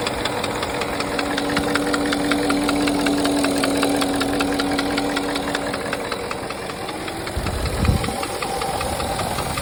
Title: Porsche Cayenne 955 M48.00 4.5 V8 2003 engine knock